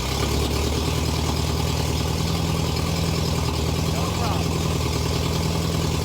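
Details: Porsche flat-four with a megaphone exhaust; settles into a steady, even idle with a deep exhaust burble and no knocks or misses; normal idle.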